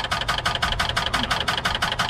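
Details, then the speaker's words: Van with a weak battery: rapid, even clacking about five or six times a second while cranking without firing. The starter chatters and a jumper box does not help. "oh this is cool my boy went to start this and this is what it does i don't even know how it's possible but it's happening"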